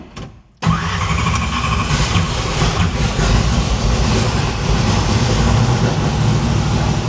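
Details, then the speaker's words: No-prep stick shift drag car started after PAC valve spring install: short crank then rough choppy idle with missing beats; misfire because four spark plug wires were left disconnected, running on four cylinders. "that don't sound nearly right let me ask you a question okay why you got this why the CL off this that was on four plug wires wasn't it yeah what a dumbass"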